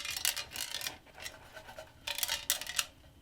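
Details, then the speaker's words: Removed muffler from a 2007 Yamaha YZ450F four-stroke, shaken by hand before repacking: bursts of dry metallic rattling as a broken rivet piece moves inside; muffler badly needs repacking. "Anyway, that actual, I don't know if you could hear the packing moving around in there, but that was part of the rivet that was moving there."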